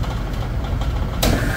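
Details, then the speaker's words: Supermarket refrigeration rack, newly replaced number one AC compressor now cut over to run off transducers and CPC controls: solenoid energized, pressure builds, low hum then sharp kick and steady tone; normal compressor start-up. "there we go, we got our compressor on."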